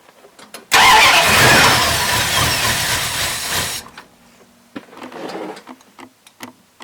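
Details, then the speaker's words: Old lunch truck engine on cold start with choke, after oil change and spark plugs refitted (earlier had fuel trickling into crankcase): catches, runs stumbly and uneven, then cuts out and sputters; rough cold running, owner suspects slightly lean, not off choke yet. "So far so good. It's a little stumbly, but it sounds like it's starting to come around, or it's going to stall."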